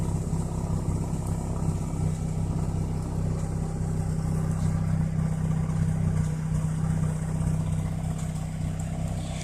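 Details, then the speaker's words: Car after T-ReX ignition coils, cat gutted with replaced cat gaskets, intake leak still present and check engine light on: steady deep exhaust drone at constant speed, even beat, no misfire; runs smooth, quieter than before. "But she sounds good. You guys can probably tell it sounds a little bit better than it used to. I replaced the gaskets on the cat, so it's a little bit quieter."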